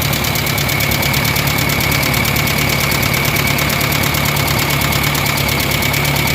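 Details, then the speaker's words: Kia Pride engine suddenly at high rpm with a loud, harsh, rapid metallic tapping/knocking from the top end; exhaust-side rocker arm lash adjusters stuck with no play, valve train to be removed for adjustment. "grabi ang lakas ng makina guys kinabahan ako pagpa ko pa lang dahil biglang High RPM so ang lakas ng knocking so nakakatakot"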